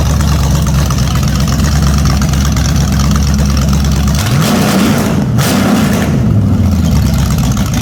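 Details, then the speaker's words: Holden HQ sedan's new 010 350 V8 with carburetor, running on an engine stand: steady, even lumpy idle, then a few crisp revs up and back down with no misses or knocks; healthy engine. "Wow, that's bloody perfect. Very happy with that. Very happy. The carby even sounds like it runs well, even though we'll clean it up a little bit on the outside."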